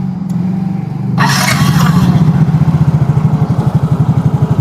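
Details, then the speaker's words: Yamaha Mio J scooter with original engine block after rebuild, valve clearance at 15/20: quick even putter after a short rev, steady firing with no knocking or rattle; engine smooth and smoke cured, original block damping harsh noises. "gur halus dan sudah sembuh daripada ngebunnya inilah kelebihan daripada apa blok yang original bisa meredam periksi bisa meredam suara-suara yang yang kasar"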